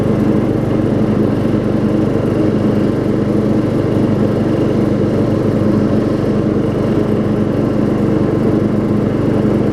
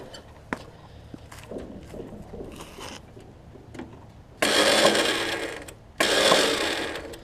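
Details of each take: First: Craftsman LT4000 rider, circa 1994, with a 12.5 hp Briggs single and 38-inch deck, after carb adjustment: a steady, even single-cylinder drone with no misses or surges. Flywheel is missing teeth but the mower starts and runs fine. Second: Craftsman riding mower, restart after carb adjustment; two loud harsh grinding bursts as the starter engages on a flywheel ring gear missing teeth, likely from a previous engagement, starter itself in good shape; starter grinding on damaged flywheel ring gear.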